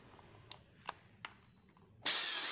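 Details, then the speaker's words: Electric wood planer motor after reinstalling both carbon brushes, fan belt not yet fitted; clicks then steady even high whir with no rattle or grinding, motor and electrics healthy. "ini halus untuk motor penggeraknya halus untuk kelistrikannya"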